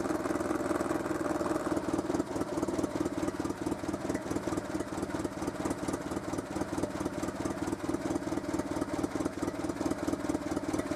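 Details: Renault Super 5 idling after a head gasket replacement, coolant reservoir between min and max; even, quick pulsing idle with a steady hum, no knocks or hesitation, settling smoothly; normal idle.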